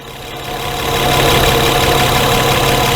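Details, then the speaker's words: 2011 Honda Pilot hot idle, intermittent stalling: idle climbs and swells in loudness over the first second, then holds high and uneven; injector on-time jumps from 2 to 9 ms during the surge, traced to a magnetized crank trigger wheel. "Trying to figure out what's going on with the car. I can hear it surge. Now it hasn't stalled yet."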